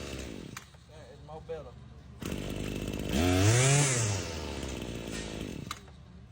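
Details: Husqvarna 525L trimmer after fixing a bad carburetor gasket that caused stumbling and falling off high idle: short two-stroke rev climbs cleanly and drops back smoothly without stumbling or popping; running properly.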